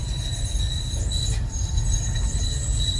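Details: 2016 Ford Fusion driving: steady piercing high-pitched shriek holding one pitch over road rumble from the front brakes; a few rocks found stuck there caused the noise.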